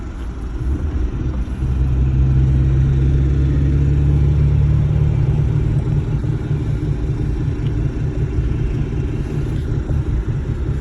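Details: Suzuki Sidekick driving with both hubs unlocked and transfer case in 4H: deep steady drivetrain rumble swelling as it gets moving, low-pitched under load; exact source unclear.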